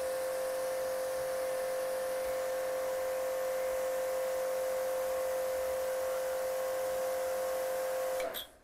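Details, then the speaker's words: Kodenki KDK 8120V pressure washer running with gauge at the gun input, about 40 bar, same as before: steady even motor hum and constant mid-pitched pump tone, then shut off; normal under pressure. "Dan hasilnya sama saja, Teman-teman, ya. Sekitar 40 bar."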